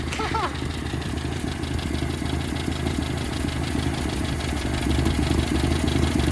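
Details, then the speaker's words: 1972 Toyota Celica with a used 18RC engine and Weber 32/36 carburetor, first start in 20 years: steady light top-end ticking over a lumpy idle, owner suspects the timing chain; otherwise sounds good. "It's the timing chain, I think. Other than that, though, this thing sounds good."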